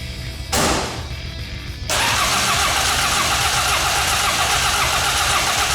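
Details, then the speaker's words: 1984 Ford Escort diesel barn find, cranking on fresh fuel from a can after bad fuel was dumped. Starter cranks steadily at about four turns a second but it never catches; air in the fuel lines from disconnecting them means the injectors need bleeding. "Yeah, nothing. Kind of expected this, but just wanted to go through the paces. So, the next thing you got to do on a diesel engine like this that's had air in the fuel lines, which I introduced by disconnecting them, is bleed the injectors."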